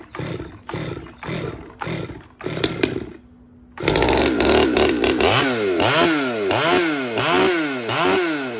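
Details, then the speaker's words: Stihl MS200T saw with aftermarket carburetor, intake boot and fuel filter, new carb kit fitted, after cold start: blips a few times, then a high idle hunting up and down with heavy smoke; idle creeping up from air leak, worn crank seals. "it usually goes out of tune once it warms up you'll notice how much smoke is coming out of this it's starting to idle up already"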